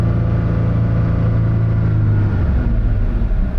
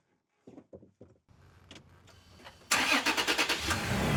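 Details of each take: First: 2020 Toyota Tacoma TRD Off-Road with newly installed K&N NextGen cold air intake, revved in place to about 4,000 rpm then held around 3,000–3,500: smooth even deep drone and intake growl, no knocks or misses; normal high-rpm rev. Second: 2020 Toyota Tacoma TRD Off-Road after K&N NextGen cold air intake install, mass airflow sensor just cleaned: starter cranks, engine catches with a loud burst then dies within seconds.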